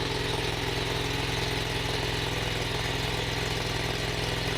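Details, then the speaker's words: Small engine on a heavy haul trailer running with choke left partly on: steady, slightly raised idle with an even low throb and no misses, consistent with running rich; owner hopes it won't die. "I left the choke on a little bit on that engine I hope it doesn't die now"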